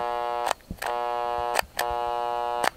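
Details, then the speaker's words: Old Milwaukee 5380-21 hammer drill, short bursts of electric buzz with no spin-up: motor hums but won't turn, smells odd; owner suspects it's fried. "well it doesn't turn on I don't know if you can hear it it's humming kind of stinks it's probably fried"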